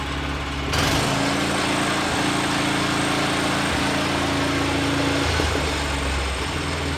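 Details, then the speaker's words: Vanguard 9 hp single-cylinder tractor engine, final run after freeing sticking throttle lever with WD-40, oil topped off: steady even beat at constant speed, no stumbles or misfires, some unexplained vibration; running properly, much quieter. "shot some WD40 into this accelerator switch or accelerator or throttle lever freed it right up so now she runs good so here is the final final run one pull crew baby"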